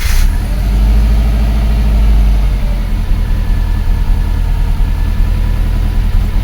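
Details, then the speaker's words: 2004 Subaru Forester, EJ20 turbo, that had low power on cold mornings, started after the repair restored injector current: it settles to a steady idle, slightly lumpy as expected after repair, with no missing beats. Normal idle. "Very nice. A bit of a rough running, but that's expected after repair, but there's no misfire."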